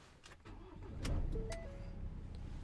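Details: 2020 Ford Transit, likely 2.0 L diesel, after clearing AdBlue/DPF exhaust filter codes: diesel cranks briefly and catches, settling into steady low rumble with a few chimes; clean normal start.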